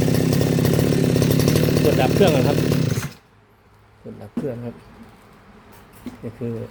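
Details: RBC411 two-stroke brush cutter that would not start, after checking spark and fuel and reassembling the carburetor, started with the choke on: an even buzz for three seconds, then shutoff; runs normally.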